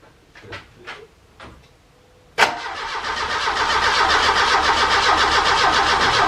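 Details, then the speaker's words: Ford Capri Calypso first start attempt after 14 years of storage, with an untested carburetor. The starter spins the engine in an even churn of about four turns a second, but it never fires as the battery weakens. No fuel has been drawn up yet and spark is to be checked. "So, it turns, which is good."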